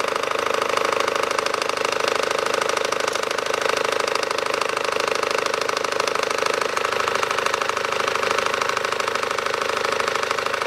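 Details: 2012 SsangYong Actyon 2.0 diesel, manual, 4WD, 77,000 km, idling with the A/C compressor on: hard, regular knock about twice a second from below, appearing when the A/C engages; drive belt tensioner mechanism replaced.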